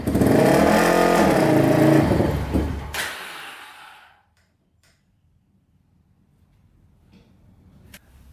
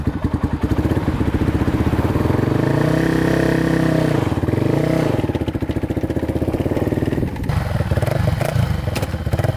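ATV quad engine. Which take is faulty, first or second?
first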